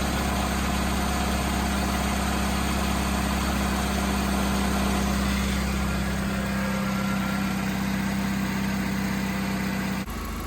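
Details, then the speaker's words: 2005 Chevy Malibu 2.2L, 250,000+ miles, idling after 15 minutes following a head gasket replacement. Smooth, even idle with no ticks, knocks or misses; temperature good, check engine light gone. "All right, it's been running for 15 minutes. Temperature is good."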